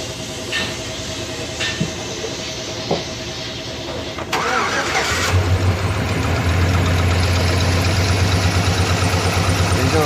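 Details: Chevy 5.3 non-flex-fuel engine with suspected AFM/DOD trouble: cranks, catches and settles to a steady idle with a light regular tick. Suspected collapsed lifter, with a valve on cylinder two mentioned.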